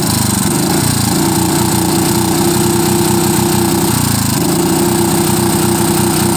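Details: Lombardini IM 350 small single-cylinder engine with rough idle and poor acceleration, uneven lumpy beat that wavers and dips; no vacuum leak, clean air filter, carburetor cleaned and inspected, cause unknown.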